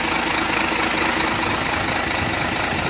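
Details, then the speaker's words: Hino 500 J08E (FM 260 Ti) diesel just reassembled after overhaul: loud steady idle, even fast beat, very smooth with no knocks or misses; normal idle. "untuk bunyinya sangat halus yakni sangat halus"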